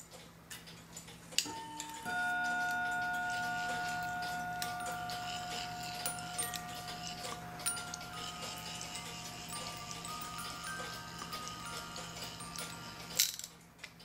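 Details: Regula A-25-85 Black Forest cuckoo clock (1985) music movement: a clear plucked tune now rings steadily with even notes and clean ticks; it plays properly.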